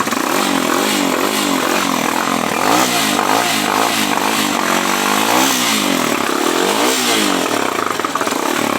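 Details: New Jector motorcycle with its stock exhaust, before replacing it with a quieter pipe: a loud, raspy, steady exhaust drone with slight pitch rise and fall and no knocking; the engine runs normally, idling.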